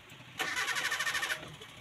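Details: Mitsubishi Colt 120SS engine, previously hard to start with lost ignition current, after rewiring delco (distributor) cables and noting unplugged manifold vacuum lines. Short crank, then it catches cleanly and settles into an even, steady idle with no misses: healthy start after repair.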